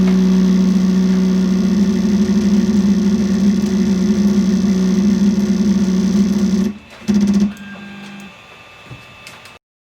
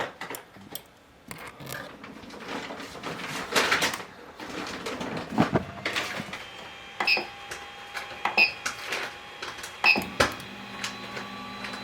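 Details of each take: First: Creality Ender 3 3D printer during auto-homing: a loud, rough grinding drone as the Y-axis motor keeps forcing the bed back because the Y endstop switch is not hit. The fix is extending the switch with tape or a printed cap. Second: Ender 3 3D printer auto-homing after fix: stepper motors hum steadily, clean endstop clicks, no grinding; grinding had come from the Y-axis endstop not being hit, so the bed kept forcing back, fixed by extending the switch with tape.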